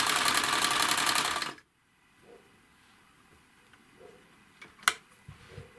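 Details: Necchi 559 household sewing machine (2001), test run on material after hook and bobbin-case reassembly while checking adjustments against knocking and thread breaks: short burst of fast, even stitching, about four a second, no knock, clean stop. Normal running.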